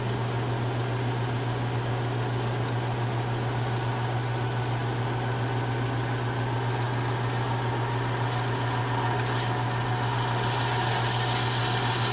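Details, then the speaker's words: A ½ HP three-phase motor on a VFD is ramped toward full speed (60 Hz) in reverse as a test, with a furnace in the background. It gives a smooth, steady low hum that rises as speed climbs, with no knocks or grinding. It feels really smooth. "and that's full-speed there that 60 Hertz so feels really smooth there's a little not sure if you can hear it over the furnace but there's a little bit of noise there"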